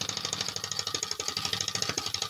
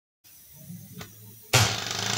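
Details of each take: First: 3D-printed single-cylinder air engine with PVC cylinder and O-ring piston: hissing chuffs with an uneven, stumbling beat, misfiring because the exhaust valve had no return spring. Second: 3D-printed single-cylinder air engine with bearings, improved from 5,000 rpm: sudden air rush into fast, even pulsing hiss with no knocks, revving cleanly to 11,000 rpm.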